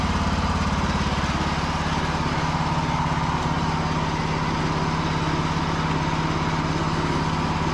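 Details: Free Cub Cadet riding mower, part 2 after fixing the non-working charging system, about to test the mower deck: small single-cylinder engine runs steady and even at a quick regular putter, no misses or knocks. Normal running.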